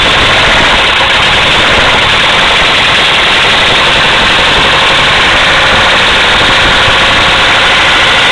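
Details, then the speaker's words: 1974 Mercedes diesel with non-working glow plugs, started cold and idling: loud, clattery idle with a heavy, hard knock pounding through every beat, a badly knocking connecting rod. "it started with no G plugs it's pretty amazing oh this Smo there you have it 1974 Mercedes with a rod knock still running"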